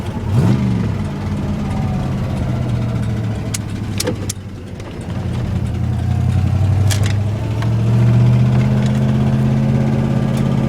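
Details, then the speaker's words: Ford Ranger with 302 5.0 V8, start, idle and revs while driving to get GT40 heads: deep knock underneath following engine speed, worst the truck has knocked; rod knock, engine dying. "the worst I've ever heard the truck knock. I'm just trying to nurse it."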